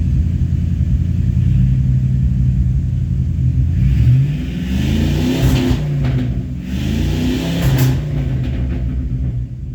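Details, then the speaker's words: 1985 Chevrolet K20 with new timing chain, water pump, vacuum canister and module, revved toward 5000 rpm: sharp backfire cracks at higher revs, then the idle hangs high; owner suspects timing is off, unconfirmed. "You can hear it obviously has a thing, and then the idle doesn't want to come down right now. It might just be a super high idle, but you can hear it."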